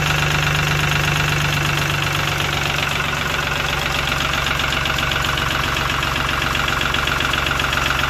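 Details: Lister ST3 three-cylinder air-cooled diesel on an old sewer jetter, first start after purchase, cranked without decompression: even steady clatter at idle, no misses or odd knocks; running sweetly.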